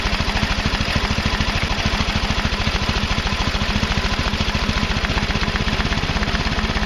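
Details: Craftsman Hydromatic mower, 15.5 hp Briggs and Stratton OHV, after flooding with far too much oil was corrected to the proper amount: the small single runs with quick, even firing pulses and no misses or knocks. Normal running.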